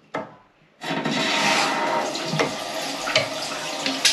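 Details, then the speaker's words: Toilet cistern refilling after fitting new Thomas Dudley internals and reconnecting the cold feed; steady rush of water with no hiss or hammering at the valve. Normal cistern refill. "Right, there we go, system's full."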